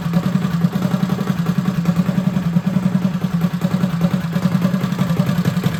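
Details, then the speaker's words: Freshly rebuilt Predator 212 on a Motovox minibike, new billet parts, rod and cam: even single-cylinder thumping at low unhurried idle with no knocks or rattles, healthy. "So now that we have all our nice new shiny billet parts, we've spent a little time revving it, letting it idle for a while. Everything should be nice and broken in."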